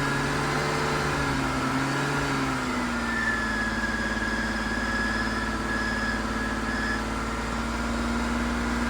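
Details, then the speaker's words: BMW E39 Touring awaiting LS swap, first start after Seafoam soak, heavy smoke, started for brake booster vacuum before bleeding brakes: low uneven idle sagging and hunting; new coils still awaited. "okay we have smoked out the neighborhood but it is running now kind of it doesn't idle very good"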